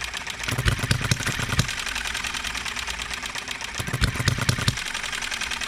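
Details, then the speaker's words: Enjomor 6cc hit-and-miss model engine on a cart, first run since last tuning with a new flint spring: pops in uneven clusters with irregular gaps, occasionally hiccuping; not firing evenly yet, ignition timing to be adjusted. "all right let's fire it back up if it'll start we might have to adjust the timing still hiccups once in a while don't it"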